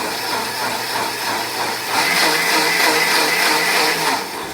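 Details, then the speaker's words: KitchenAid blender after replacing the broken rubber drive coupler linking motor to jar: steady high whir that holds even, without rattles or grinding; the motor and drive are running normally. "brender fonctionne correctement"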